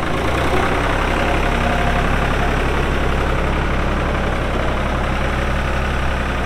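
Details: 1999 New Holland TN65S 4WD diesel tractor, 8-speed hydraulic shuttle, NH 33LA loader, 4,162 hours: steady, even diesel clatter at idle with firm low rumble, no knocks or misses; hydraulics strong, engine sounds good — normal idle.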